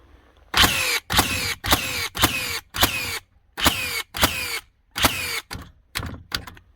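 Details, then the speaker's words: Second-gen Hikoki NR1890DCA cordless first-fix nailer in bump mode, driving 50mm nails: sharp, evenly spaced shots about two a second, each a crisp bang with a short falling whir; cycling normally. "They are just a fantastic gun. Great quality, great power to them, as you can hear whenever this thing's shooting."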